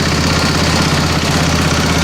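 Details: 725 driving under its own power with a little throttle after sitting a long time. A loud, steady drone with an even beat and no knocks or misfires under load. It runs normally.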